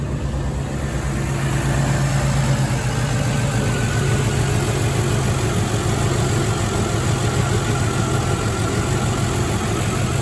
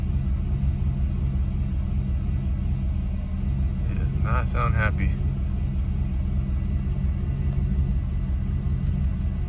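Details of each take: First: Mercedes W124 E420 (M119 V8) first start after power steering reservoir seal and hose repair; smooth, steady low idle with no stumbles or ticks while warming up for a few minutes. Normal idle. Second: Mercedes W124 E420 M119 V8 first start after power steering reservoir seal and hose repair: deep, uneven lumpy rumble at idle with irregular beat, sounding worse than before; rough running, cause not yet known.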